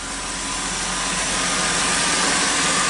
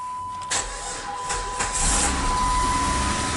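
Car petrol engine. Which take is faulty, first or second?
second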